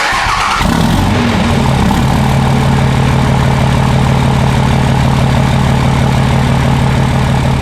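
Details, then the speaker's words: Idling diesel with exhaust brake engaged: steady deep drone under a constant high, spaceship-like turbo whistle as exhaust air struggles out, adding load so the engine warms faster; normal. "you can really hear the air struggling to get out of the engine and that's the whistling and what that does as an idol is it puts a little bit of load on the engine which warms it up faster"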